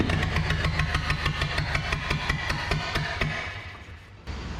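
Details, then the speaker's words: Barn-find 1930/31 Ford Model A coupe, unused since 1964, first run after setting ignition timing, choke on, carburetor leaking, no coolant or fan belt: loose chuffing about three beats a second with stumbles and a sag. It runs rough; flooding is doubted. "well it runs not great can't imagine it's flooding with all the weaking that's going on in the carburetor but uh she's alive nonetheless"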